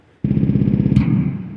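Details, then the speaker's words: DIY synthesizer drum circuit (LMNC simple oscillator, mini mixer): low buzzing synth tone with sharp bright pop when the mute button is released, not when pressed. "it's it pops when i depress the button like let go of it but when i press the button down it doesn't make this annoying pop noise"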